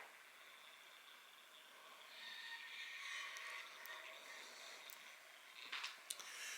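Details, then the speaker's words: Old small motor in a lighted snowman decoration, after oiling both sides of the previously squeaking motor: soft, even hum with no squeal and faint clicks, running quietly without the squeak. "take a little stress off that old motor there okay well she ain't squeaking no more"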